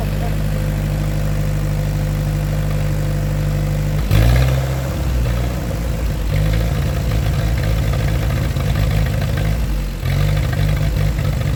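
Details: 1947 Ford 8N tractor, just started on jumper cable, out of gear: low loping idle that stumbles and surges as if about to stall while the carb is being adjusted with a screwdriver; rough idle, smooths out after adjustment.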